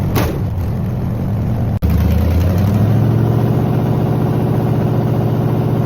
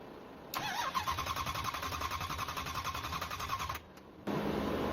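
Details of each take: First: Engine on a test rig after its coolant froze over winter and pushed out a core plug, running on water with the timing gun hooked up: catches quickly, blips up, then holds a smooth, even rumble before shutting down cleanly; runs normally. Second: Engine, first start attempt after its coolant froze over winter and pushed out a core plug: cranks steadily about three seconds without firing, no fuel pressure building.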